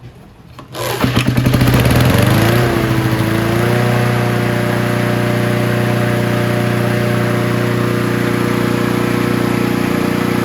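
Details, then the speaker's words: Honda HR17 push mower with flathead Honda engine, guessed early to mid 80s, after fixing the kill switch and its ground. A pull, then it catches within a second and settles into a steady, even drone with no misses: normal running. "runs really well really surprised uh it runs as good as it does the way that c r was"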